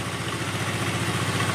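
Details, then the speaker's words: Honda Vario 110 carbureted scooter, first start after a carburetor service and before air/idle adjustment, started on the electric starter. It starts immediately into a quick, even idle with a steady putter and no knocks or hunting. Normal idle. "Oke, motor langsung nyala ya. Oke, motor langsung nyala."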